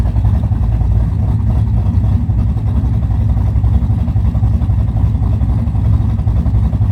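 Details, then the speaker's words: Camaro big-cam V8 idling on a newly installed Summit Max EFI-500 with IAC idle control (formerly carbureted at about 900-970 rpm): deep, loping, uneven low rumble, smooth, with nothing knocking. Normal idle; owner unsure where to set the idle. "So that's how she is. So with the CFI system, I really don't know where to set the idle."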